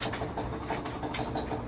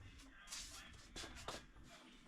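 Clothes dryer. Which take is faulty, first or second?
first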